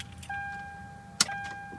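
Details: 2010 Toyota Sequoia 5.7 L V8 that won't start, with the battery charger on boost: two sharp clicks over the dash chime and the engine never turns over; starter click with no crank, bad starter suspected.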